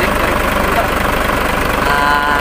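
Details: Mitsubishi Fuso 6D24 diesel after fuel leak and hard-starting repair: deep, even idle with a steady low pulse, no misses or knocks, settled and running normally.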